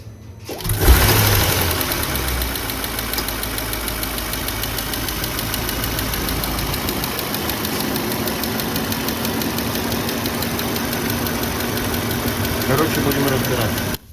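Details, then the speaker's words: Audi A8 D5 with a new knock, engine started and idling: a faint tapping heard over the run, located in the top end of the cylinder head. The mechanic says it sounds like a rocker came off; this is suspected, not confirmed. "Звук явно в этом районе. И звук такой, как будто там рокер слетел."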